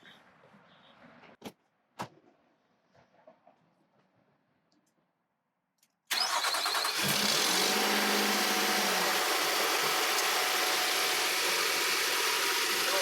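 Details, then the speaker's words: 2017 Nissan Pathfinder started right after a new battery install: quiet clicks, then the engine catches and settles to an even, busy idle with a faint light rattle of unknown source, still to be checked. "right, working good. A little rattle in there. Let's check that out."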